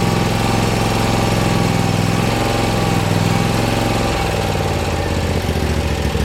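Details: Bad Boy Maverick zero-turn mower, Kawasaki engine repaired after fire, running in neutral on jacks: steady, even chug with no knocks or misses at constant pitch; engine runs smoothly.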